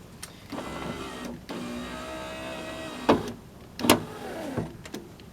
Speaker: So what the window's been doing is it's been being pushed up and down by the actual piece of metal down here for the window regulator, when it's supposed to be fitted on this.